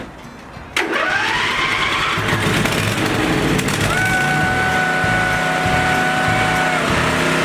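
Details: Briggs & Stratton V-twin Intek engine after replacing the governor gear and camshaft, new valve cover gaskets, fresh oil and filter: catches at once and settles into a steady even run with faint whine; healthy.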